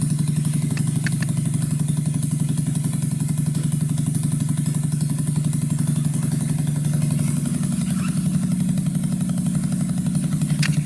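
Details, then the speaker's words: 2009 Skyteam Bad Boy 50cc four-stroke single; smoke from old oil gone. Steady, slightly fast idle, even beat, no misses, dips or stalling; revs well; runs clean. "It seems to be idling very nice now. A bit high, but zero bugs. Oh, it revs nice as well. and it doesn't die."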